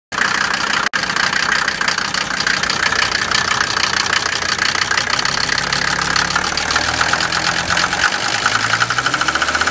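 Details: Mercedes 190D turbo diesel weeks after injector O-ring seal replacement: sharp rapid metallic nailing over wavering idle, lots of smoke, engine shakes returning to idle and idles rough; injector problem suspected, not confirmed.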